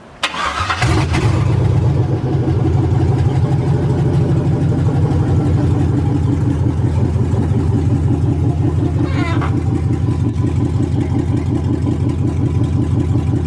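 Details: 1980 Chevy C20 with a swapped 4.8L LS V8, a later start after the swap was finished, with a few things secured underneath: it cranks and catches within a second, then settles into a steady, even burble with no knocks or misses. A healthy start.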